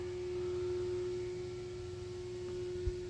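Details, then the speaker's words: Steady, unwavering low droning hum heard through a fence near Salisbury Road on a Sunday evening, apparently coming from the dock area; a persistent industrial drone, source unknown, called a statutory nuisance. "And through that fence, you can pick up a droning humming noise."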